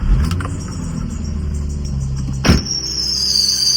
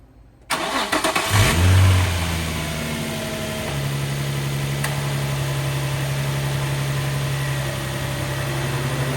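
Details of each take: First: Nissan 350Z VQ35 engine at idle, before serpentine belt and idler pulley replacement: high-pitched steady squeal, getting louder and sharper after a brief knock; worn serpentine belt. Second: Nissan 350Z VQ35 engine after replacing the serpentine belt and tensioner pulley: cranks, catches with a brief rev, then settles to a steady even idle with the belt squeal gone; normal start and idle.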